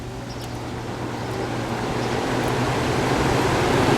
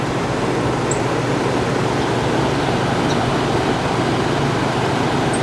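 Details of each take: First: 1967 Chrysler Airtemp 6000 BTU window AC, model L06-72, after scraping heavy buildup off the clogged coil: steady air rush over low hum, fan running normally with improved airflow, before the compressor kicks on. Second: 1967 Chrysler Airtemp 6000 BTU window AC, model L06-72, running with compressor: steady fan and compressor roar, then sharp ticks as something came loose and went through the fan blades.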